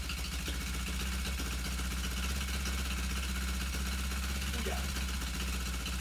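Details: Suzuki GS450 cafe racer after stuck-clutch rebuild: steady, even idle with a smooth low beat and no knocks or rattles; engine runs cleanly and healthy.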